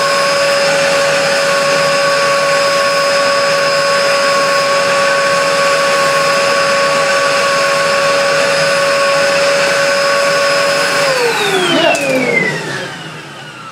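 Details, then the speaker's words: 1996 Dyson DC02 vacuum, before refurbishment, with floor tool, filters missing; steady high motor whine holding even pitch about eleven seconds, then smooth wind-down at switch-off; strong suction, likely from lacking filters; motor healthy. "Nothing wrong with that. Has all that suction as well, which is probably more due to the lack of filters than anything else, I"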